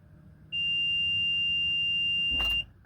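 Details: 2004 Itasca Suncruiser RV, fuel-injected, about 90-96K miles. Key cycled to on without cranking to prime the fuel pump after a fuel filter replacement; a single steady high-pitched beep of about two seconds, the normal key-on chime while the pump primes.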